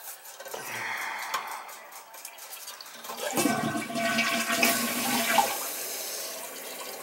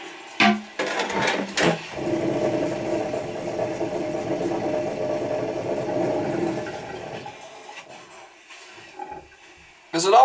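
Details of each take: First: Toilet after new wax ring and adjusted fill valve: water rushes in, refills, tapers to a quiet trickle, no knock at shutoff; bolts dry, leak fixed, fault was fill valve/supply not wax. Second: Toilet tank finishing filling: steady buzzing hum for about five seconds, fading as it shuts off; vibration noise at shut-off that the plumber thinks comes from the fill valve, which he plans to replace.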